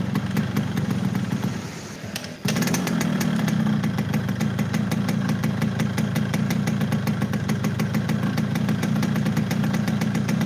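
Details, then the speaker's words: Yamaha RX King two-stroke (hard to shift gears) at steady fast idle, not ridden: rattling, dull flat note with no crispness; engine down on power by sound, cause not pinned down. "Udah kelihatan kalau ini mesin tidak power, dari suara udah kelihatan. Ini motor nggak lari ya bos, tenaganya ngempet. Dari suara mesin kedengeran banget."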